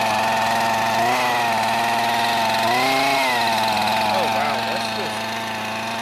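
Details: Curb-found Husqvarna 128CD two-stroke trimmer, first start: buzzy high idle whose pitch wanders and surges rather than holding clean; uneven burble of running rich.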